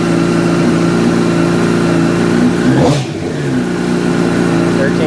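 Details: 2006 Honda CBR1000RR after stator and voltage regulator replacement: strong, even running note dips briefly off throttle, then picks back up with no misses; voltmeter reads 12.8 V, charging; normal running.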